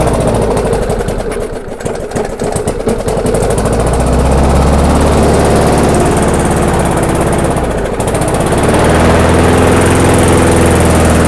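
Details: Abandoned MTD/Yard Machines non-self-propelled walk-behind mower, after screw adjustment and air cleaner refitted: runs unevenly, speed sagging about two seconds then recovering and hunting; engine judged good, governor arm blamed.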